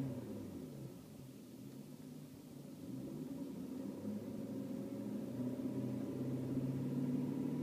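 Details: BMW E39 M5 at idle: deep V8 idle with low droning hum swelling slightly over several seconds; vibration noise at idle, cause unknown.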